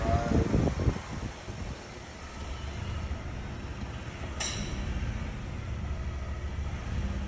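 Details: 2022 Ford F150 Platinum 3.5 EcoBoost at 36,000 miles: idle rumble, then a sharp metallic click shifting park to reverse/drive or accelerating; excessive rear axle spline play, both rear axles replaced under recall.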